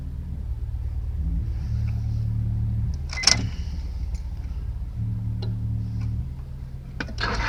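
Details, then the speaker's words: 1999 Honda Accord 4-cylinder cranks in steady bursts but never fires after new distributor, rotor, plugs and wires; it started once then wouldn't restart. Fuel pump heard priming, fuel in line, no check engine light; cause unknown. "That's what it's doing. Like it won't stop, but it's not starting."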